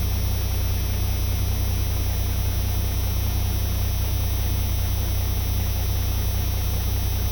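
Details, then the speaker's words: Turbocharged truck at a 400 RPM fast idle with its engine-driven air compressor charging the air-bag tank from intake boost; steady low pulse with faint pump hum. Normal. "And the truck is idling at 400 RPM. A fast idle. I'll turn it on here now and watch this. Truck boost pressure with air compressor."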